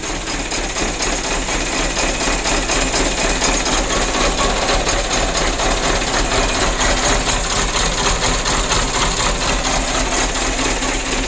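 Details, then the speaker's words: 2008 Mitsubishi Canter 125 diesel just arrived, before service; driver says it starts easily but lacks power and shakes at idle: loping uneven beat about two pulses a second under clatter, rough shaking idle. "kata sopirnya hidupnya itu mudah cuman tenaganya itu kurang dan juga langsamnya itu mesinnya goyang"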